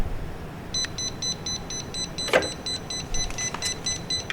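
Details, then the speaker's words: Jazzy Air 2 power wheelchair (Pride Mobility) in the elevated seat position sounds rapid high electronic beeping, about five a second, because a seat sensor lever is not releasing or the chair is not level; the chair still drives. The fix is adjusting the levers on both sides behind the front shroud. "it's just a very annoying sound uh it's a safety feature it's basically trying to tell you either not level or one of your sensors is not releasing"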